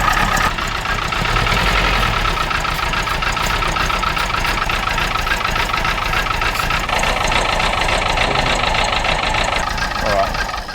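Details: Freshly rebuilt petrol A-series engine, idle minimum set around 500 rpm: uneven stumbling idle beat of a cylinder misfire; no change found when testing for a vacuum leak.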